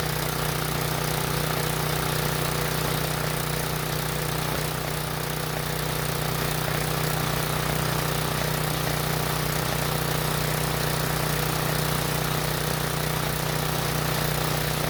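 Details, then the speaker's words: Briggs and Stratton generator, unused for a while and previously non-starting, running on fuel put into the line while powering a halogen work light; steady, even low hum that never hunts or stumbles; normal running under load. "i'll try that again but this time i put more gas in it and hopefully it'll run a little bit longer i'm also going to move the work light to the other outlet just to make sure it works as well"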